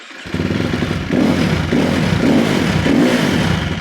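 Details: KTM 350 four-stroke, after replacing a faulty pulser coil to cure no spark: fires right up, then four quick throttle blips rise and fall cleanly, crisp even single-cylinder bark with no misfire. Normal start and rev.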